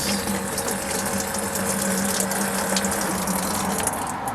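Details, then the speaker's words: Ford F250 with dual tanks, fuel pump test, switch on front pump: steady electric pump hum with fuel gushing freely, front tank pumping itself out; rear pump suspected not working. Finding: normal front fuel pump operation. "the front fuel pump is working the rear fuel pump once again I just grounded I let see if something happens or not so right now it's just the front tank just pumping itself out"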